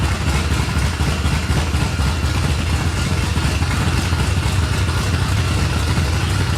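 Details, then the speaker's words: 1989 Ford F-150 V8 project truck: lopey, uneven idle with a choppy, stumbling beat and clatter underneath, like a big cam or dead cylinder, belt noise like a supercharger; rough idle. "I don't know why it's running like it's got a hog ass cam it sounds like we got a dead cylinder or something we got to figure out yet"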